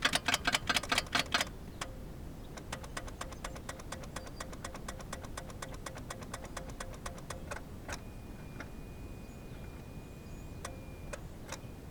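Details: Geo Metro that won't crank, warm 65°F day, jumped with weak battery jump packs: quick uneven ticking a couple per second, no cranking; starter clicking, likely too little current, owner hopes starter isn't bad.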